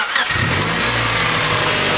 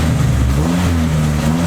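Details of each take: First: EK Honda Civic with Y7 block and Y8 head swap, diagnostic plug jumped, check engine light on: steady fast idle that won't drop low enough to set base timing, due to vacuum leaks at the valve cover and possibly elsewhere; high idle from vacuum leak. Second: Neglected Honda EK Civic with suspected vacuum leaks and missing primary O2 sensor: short crisp blip, revs climb quickly and settle cleanly, no misfire or stumble; throttle response pretty good.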